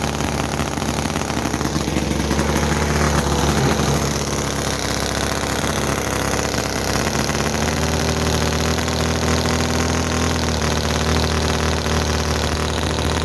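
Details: Chinese model V-twin petrol engine (Cison FG-VT9 9cc or Microcosm R28 4.3cc), oil in crankcase, poor fuel tank: revs high and ragged, sputters and pops, oil leaking, no steady slow beat; cause unconfirmed.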